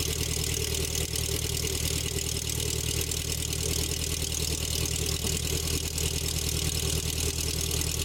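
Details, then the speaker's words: 1984 Nissan 720 Z24 four-cylinder with eight spark plugs, new plug wires after possums chewed the old ones, started cold: steady, even idle of about three firing pulses a second with no misses or ticking; running cleanly. "Looks good. Sounds good."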